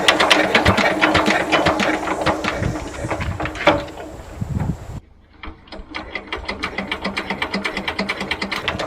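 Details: Old twin-cylinder diesel vibratory roller that broke down about 20 years ago, first run after years: uneven loping knock about two beats a second, running on one cylinder until the second picks up; owner suspects debris in the injector.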